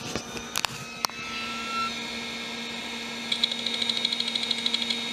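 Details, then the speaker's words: Olivetti M300-30/P, BA366 motherboard, hard disk hooked up at power-on; faint whine rises and settles as platters spin up, then quick even seek ticks about three per second, no errors, drive detected. "It's seeking. The hard disk is seeking. It doesn't seem to have any errors."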